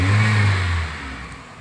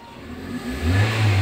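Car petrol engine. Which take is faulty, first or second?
second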